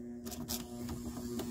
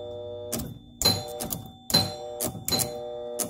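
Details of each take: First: 1975 Gottlieb Atlantis pinball machine just out of storage: steady low electrical buzz with a few light clicks from a score reel coil locking on because the reel is stuck; freed, the reel turns again. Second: 1975 Gottlieb Atlantis pinball machine out of storage: sharp uneven mechanical clacks with some ringing chimes as a score reel steps normally again after a sticking, buzzing unit that was locking on was freed.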